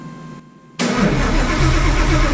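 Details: Widebody Fox Body, cammed built Coyote V8 with ported Boss 302 heads and Whipple Cobra Jet supercharger, start attempt after plugging in both O2 sensors and further tune changes: silence, then cranking catches into a loud ragged roar that never settles; fires but won't keep running.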